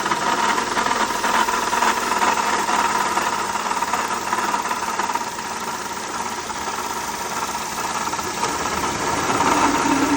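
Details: 2007 Honda Accord idling with a light, uneven rattle: failing water pump, diagnosed and replaced.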